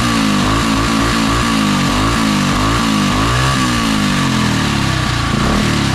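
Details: Predator 212 (Monster 212) single-cylinder in Mega Moto minibike with new thick-flange custom exhaust V2.0 and wrap, warming up: revs up and settles, crisp even exhaust note, steady firing, sounds really good; normal running.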